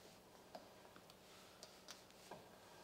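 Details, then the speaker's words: 1960s AEC Routemaster bus, nearside front brake, wheel hand-spun: faint irregular ticks and soft rub; already binding slightly so no adjustment needed, showing front brakes were out of balance after offside adjustment. "so i don't think this nearside wheel needs adjustment because as you can hear it's already binding and because we've adjusted the offside it just shows how out of balance the two front brakes were"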